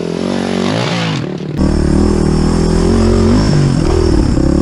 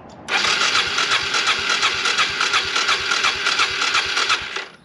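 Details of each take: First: Suzuki DR350SE abandoned dirt bike after valves were cleaned: the single cylinder catches and settles into a steady, even idle with clean throttle blips, no knocks or misses. Runs healthy. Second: Suzuki DR350SE abandoned dirt bike being revived, new battery fitted: some fuel poured in, full choke, the starter spins the engine evenly for about four seconds but it never catches. Cranks, no start.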